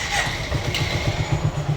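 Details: Motorcycle after carburetor float pin replacement, restarted on a low battery: even, steady low thump about eight beats a second with no misses or knocks; it caught and idles cleanly.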